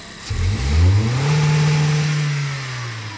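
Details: Car in neutral on engine vacuum gauge test, about 15 inHg at idle: one quick blip, revs rise sharply, hold briefly, then fall smoothly to idle with no stumble; healthy throttle response.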